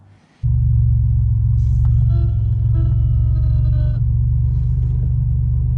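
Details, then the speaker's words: Original Powermaster electric brake booster pump on an 87 Buick Grand National: a steady, loud low hum, louder than usual; the fluid drained from the accumulator looked wrong, and the cause proved an easy fix. "it's an electric pump that provides the brake boost and it's making a little bit of a louder noise than I'm used to"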